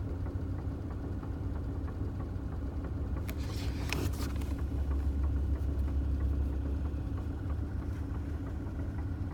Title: 2009 Toyota Tacoma - Weird Noise